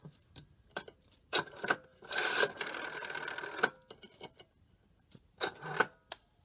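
Clicks, then a bright metallic ring of about a second and a half, then two short bursts; the bell rings cleanly and strongly.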